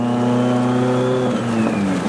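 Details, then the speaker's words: Mitsubishi Evo X, heavily modified turbo car: revving with a loud whooshing turbo spool that sags as boost bleeds off. Owner suspects a lost gasket or something popped off. "can really hear it spool up. I don't know. That or maybe something popped off, I'm not sure"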